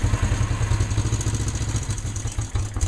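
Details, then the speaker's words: Honda CL360 twin, cold start on choke after tank cleaning and new fork seals: deep even low thump about three or four beats a second with faint top-end clatter; normal cold start. "I guess this is a cold start turn the key on turn the gas on flip the choke up hit the starter"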